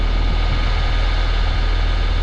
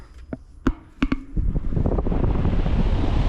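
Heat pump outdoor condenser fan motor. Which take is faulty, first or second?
first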